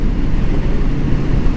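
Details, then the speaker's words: 1981 Honda CB750C four-cylinder with Keihin carbs, just synchronized with a Carbtune Pro 4 after a new clutch, riding warm: even, steady drone under wind rush, no misfire; idle at about 1800 RPM, owner plans to lower it. "but we are running really good here so when we get home I'm gonna see how far down I want to set the idle on"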